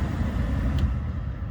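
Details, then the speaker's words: Ford blower motor running after a blower motor resistor replacement fixed the fan being stuck on high, stepped through speeds 1 to 4; steady low whoosh and even motor hum, no squeal or rattle: normal blower operation. "And you can already hear the motor running. So that's your one. That's your 2, 3, and 4. So you can hear how that's working."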